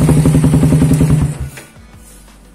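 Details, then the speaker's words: Suzuki Satria FU single-cylinder with a WRX exhaust, old glasswool about eight months used, before replacement: a quick rev blip with crackly pulses dropping to a lumpy idle. The raspy, tinny note comes from worn silencer packing. "coba dengerin suara Ih episode Karang soalnya udah cempreng soalnya makanya ganti selalu"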